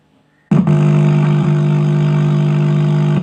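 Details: 2.1 home theater with a 2030 amplifier IC: a harsh, gritty, single-pitch drone plays instead of clean music. The failed amplifier chip is distorting the output, and replacing the IC is expected to fix it.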